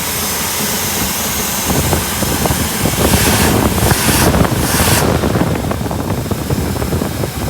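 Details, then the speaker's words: 1959 Buick V8 after a crank-no-start with extremely weak spark, fixed by flipping aftermarket toggle switches that apparently feed two different ignition coils: steady low idle running smoothly under hiss. Normal idle. "Well, she's running. So, switches apparently go to different coils somebody put in here, which is kind of hokey, but opens up."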